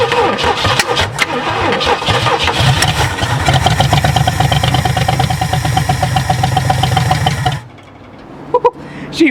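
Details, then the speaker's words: 1967 Ford F100 first start after sitting 29 years, with gas poured into the carburetor: engine fires and runs about seven seconds with a lumpy, uneven beat, stumbles and dies; rough running, carburetor suspected. "fired she fired um yeah um didn't sound too good but also that carburetors jump"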